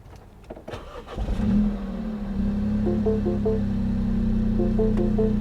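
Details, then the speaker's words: Hail-damaged salvage auction car: engine catches and settles into idle, then a three-note chime sounds twice as a transmission fault warning appears; it still goes into gear, but a mechanical transmission problem is indicated. "Okay, so obviously this car has got something else wrong with it, guys. Granted, hail took it out, but it seems to think there's some mechanical problem with the transmission."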